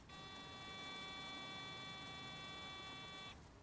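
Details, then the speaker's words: Stealth water-methanol injection kit on test, pressure switch being adjusted: a steady high buzzer beep holds for about three seconds, then stops as system pressure drops to about 8 psi. "there we are at 8 psi and it stopped beeping so I'll tweak it again"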